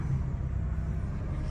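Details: Car that stalled and hesitated while driving with no fault codes, after fuel pump replacement (old pump worn out, fuel clean): smooth, low, even idle with no stumble or surging and no warning lights; normal running.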